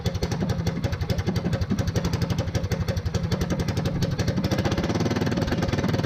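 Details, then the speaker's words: Small single-cylinder engine for a Motovox mini bike, governor and low-oil sensor removed and stage 1 kit fitted, sustained at about 5,800 RPM: fast, crisp, steady bark with no stumbling or valve clatter. A normal, healthy high-rpm run. "I love that sound. Alright, so we saw about 5,800 RPM sustained without hearing the valves float. I'm happy with that."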